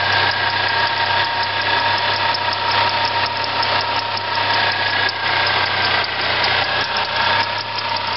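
At idle there's a steady whirring hiss with a faint whine over the engine, possibly a worn water pump bearing.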